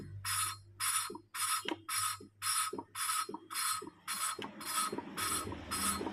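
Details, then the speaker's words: Hand valve lapping on a motorcycle engine, now in the finishing stage: the valve is only rotated on its seat, no longer lifted up and down. Rhythmic gritty scraping strokes, nearly two a second, each a harsh rasp. The contact still sounds rough; more lapping is needed until it turns quiet and smooth. "ini berapa lama untuk proses E penghalusannya ini sampai suaranya berubah menjadi halus Kang Bro tidak dengar kasar Kalau ini kan masih Terdengar agak kasar"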